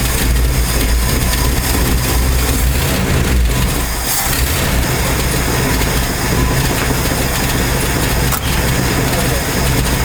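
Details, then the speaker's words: 1968 Ford F250 with a 390 FE V8, newly converted from points to a Pertronix Ignitor: loud, uneven firing stumbles before steadying. Rough start because a missed install step left it not firing and the engine flooded. "I had flooded it. That was a rough start because, yeah, I flooded it."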